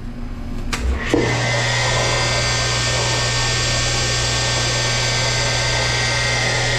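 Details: Pump motor on an ADS Water Saver L machine starts and settles into a loud, rough whirring roar with a steady high whine from a bad motor bearing; the motor is replaced.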